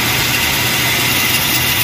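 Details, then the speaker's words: Toyota Revo engine at idle: constant harsh rough hiss and grind from the tensioner pulley, heard near the power steering; bearing completely worn out, pulley being replaced. "ayan talaga sira talaga siya ah lagas yung bearing niya lahat layo sa original no"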